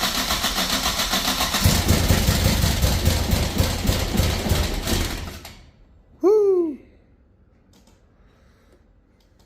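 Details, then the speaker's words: Nissan 240SX after fuel system overhaul (new pump, cleaned tank, new fuel lines, distributor cap, plugs): engine chugs unevenly about four lumpy pulses a second, sounding like it's on two cylinders; badly misfiring, bad injectors suspected. "I could tell you now it definitely does sound like it's on like two cylinders or something"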